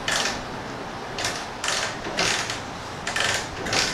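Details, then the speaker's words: TVS Phoenix motorcycle, unused for three to four months, with no electrical power at key-on. About six ratcheting kick strokes with no firing, and the plug shows no spark: no-start, no spark. "ఏ మాత్రం అవ్వట్లేదు ఇది kick kick కొట్టిన కూడా కింద దిగిపోతుంది"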